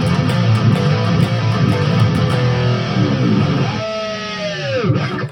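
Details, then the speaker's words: Electric guitar through amp after cleaning the dirty volume/tone pots with DeoxIT D5 contact cleaner: rings out cleanly with no crackle, pops or static, clean connection restored. "well there you have it our clean connection is restored no more crackling noisy static"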